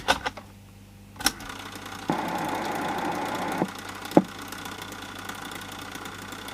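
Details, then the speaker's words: 1980s Sanyo MWS400F mini boombox cassette deck under repair: sharp clicks then a loud rough whirr with vibration while a tape plays; noise absent without a tape, possibly from capstan brackets, so still not right. "and that's still making a lot of noise feels of it is that real quite a bit of vibration on it damn so something's still not right in there"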